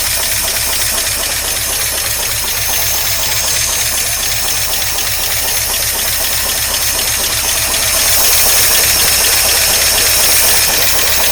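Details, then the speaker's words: 1953 Oldsmobile Rocket Super 88 barn-find V8 warming up, carb that dislikes rpm increase and randomly dies; a loud hissy idle with a slightly uneven pulse about four a second; rough idle, timing not yet checked, cause unconfirmed. "pretty crappy I may wish to put the idol of just a pad let's see where we're at"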